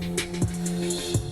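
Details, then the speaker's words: Mitsubishi DA-P20 preamp playing music drops out and pops back in with sharp clicks as the part is wiggled; both channels affected, caused by a bad muting relay. "Alright, so after poking around with this for a while, it turns out that this muting relay is bad."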